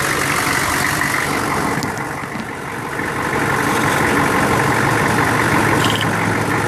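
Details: 1999 Chevy 6.5 diesel truck at idle with a bad fuel injection pump, owner noting an odd link to the AC electrical circuit or engine load: uneven lumpy beat about four times a second with a dip midway; fixed by replacing the pump.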